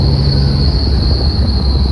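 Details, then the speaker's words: LED light bar while driving: a steady, piercing high whistle at one pitch over road rumble, from air passing the light bar fins. The fix is a 3/4"x3/4"x1/16" aluminum angle screwed to one fin. "There's some fins on here, right there. The whistling comes by there, and it's horrendous."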